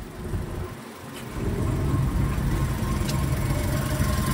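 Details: VW Polo after fixing code P1290 engine coolant temperature and clearing faults, radiator fan now stopped; low steady idle hum with even rumble, no fan roar. Normal idle.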